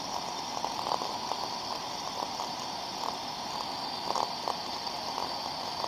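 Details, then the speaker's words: Ultrasound recording of a thermodynamic disc steam trap: soft steady hiss with faint intermittent crackles, two openings in 20 seconds, within the normal 2–10 per minute, no blow-through; good working trap. "found so as we can see from the sound recording in the window of a 20 second p period there we could see two open modulations of the Trap opening and closing now a thermodynamic disc trap is in a good working order should modulate two to 10 times per minute"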